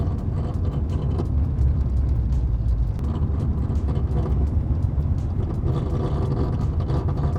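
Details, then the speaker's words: Daily-driven Jeep Cherokee XJ on 33-inch tires: a low, steady drone with a slight uneven rumble while driving, begun a couple weeks back. Suspension was checked with no loose bolts found; the owner suspects a wheel bearing, but the cause is unknown. "I might think it's a wheel bearing going bad or something like that, but it started doing it a couple weeks back, and I still don't know what it is."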